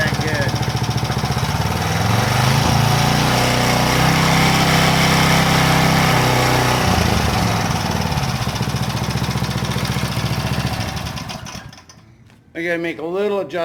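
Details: Power Trim edger after fitting a new Pulsa Jet carb kit: small single-cylinder engine holds an even, steady speed without hunting, then is shut off by pushing the throttle; carburetor now running right.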